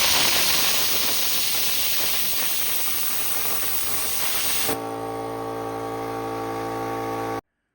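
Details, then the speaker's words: Brute 10-gallon air compressor after a pressure switch replacement: loud rush of air as the pop-off valve bleeds pressure to 90 psi, then the motor kicks back on with a steady hum; the switch cycles properly, with no leaks. "okay it's working like it should there are no leaks"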